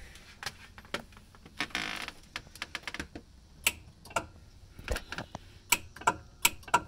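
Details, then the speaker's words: 1981 Comutacar electric vehicle: pressing the accelerator gives only a loud sharp click from the motor controls, no motor hum, car won't move in forward or reverse; hot light stays on. "when i push the gas pedal pedal it doesn't go um at all so let me go ahead and just show what's happening you hear it click but it doesn't actually go and i've tried this in forward and reverse"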